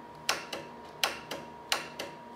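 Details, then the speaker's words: 2008 Polaris Sportsman 400 ATV: three sharp single clicks about 0.7 seconds apart with no cranking when the key is turned. The solenoid by the battery engages but the starter motor is bad and will be replaced. "what that click is that you're hearing is actually your solenoid which is located right down in there right by your battery"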